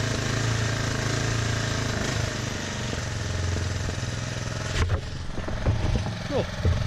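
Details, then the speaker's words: DR Trimmer TR-1 with Kawasaki single-cylinder engine, after draining oily old fuel from the carburetor, throttle worked by hand with the head spinning: steady putter picking up and dropping back cleanly, no misses or knocks; running normally. "Then went to start it, and it started right back up, completely fine. Smoked a little bit, no big deal, and now it's running perfect."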